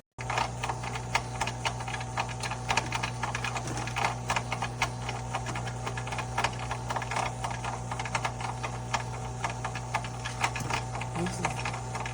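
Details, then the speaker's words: GE Profile Opal 2.0 XL countertop nugget ice maker, bought end of October, run on distilled water: steady low hum with irregular light clicks and rattles that persist even after vinegar-and-water cleaning and are sometimes worse. "This happens every time I get done cleaning it with vinegar and water. It still makes this noise."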